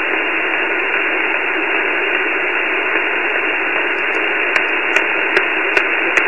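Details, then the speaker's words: Flex 5000 ham receiver on 17 meters, also 10–20 m: constant loud hiss with sharp clicks near the end, unchanged with house power shut off, suspected from the neighborhood; radio frequency interference. "so i'm thinking it's coming from somewhere in the neighborhood and just started uh this morning so not quite sure yet but take a listen to this noise if you heard it before put a post on the blog here we go"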